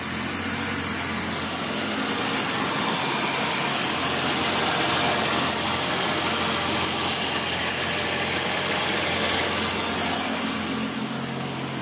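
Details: BMW E23 745i at steady idle: coarse, even buzz with a low hum underneath from the engine compartment; source not yet traced.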